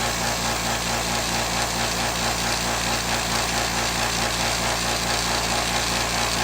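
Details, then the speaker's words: California Air Tools 2010A ultra-quiet compressor running: steady, even motor-and-pump drone with fine regular chatter, no knocking or squealing. It averaged about 75.5 dB, versus over 95 dB for the old pancake compressor. Normal running. "so quite a noticeable different I think you can see it was probably averaging what shows an average around seventy five and a half decimals compared to the other compressor which was easily above 95 decibels"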